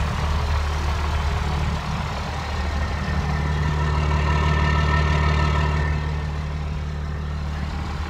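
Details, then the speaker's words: 12-valve Cummins diesel truck, after shift kit, gutted AFC and fuel plate removed: low, steady idle with only soft muted clatter, unusually quiet; timing possibly slipped to around 5–8 degrees BTDC, shortening combustion, unlike a 32-degree-timed truck. "thing is hardly rattling at all I can twelve out so a lot of times when the timing slips it goes so like five to eight degrees before top dead center and that quiets down the motor since the combustion event is happening a lot shorter timeframe"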